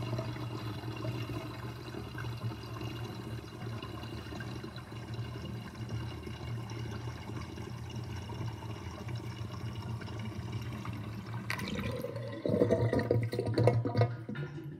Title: Interesting kitchen sinkdrain with sinkdrainbasket with gurgling sound (1)